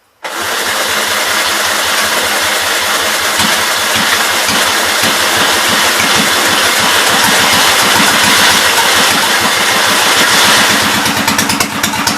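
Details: 1944 John Deere L tractor run on carb cleaner poured into the intake, no working fuel supply: catches and runs rough with irregular popping and crackling about three a second as it runs out of fuel; fuel starvation, carburettor and fresh petrol planned.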